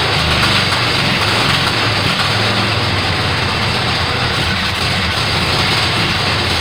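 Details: Kohler Command 18 hp twin after rebuild and carburetor work, first start: steady, even beat under heavy hiss, no misses or knocks; running normally.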